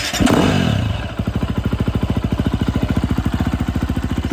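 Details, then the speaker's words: 2011 KTM 350 SX-F after repair with replaced injector, fuel tank (fuel pump) and spark plug: after a blip, crisp even single-cylinder idle thumping about three to four times a second, no stumbles or dead spots; dirt bike now idling cleanly. "there idling good sounds pretty crisp it's got good C no dead spots anymore"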